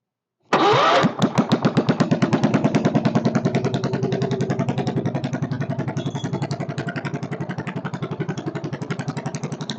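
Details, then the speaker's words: Kohler K301 stationary single-cylinder, not bolted down, first start with a bit of chainsaw gas mix: catches at once into an even, steady thump; motor sounds good, owner can't tell if there's a bad knock but thinks not; carburetor still needs work. "motor sounds good can't tell if there's a bad knock there or not doesn't sound like it"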